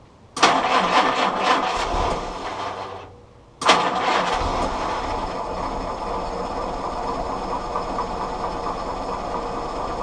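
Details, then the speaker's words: Willys CJ2A with L134 Go Devil engine after a Best copper head gasket, started with starter fluid and possibly burning oil: catches, dies once, then restarts into a smooth, steady idle with no knocks; sounds good. "actually it sounds really good so it started up pretty good"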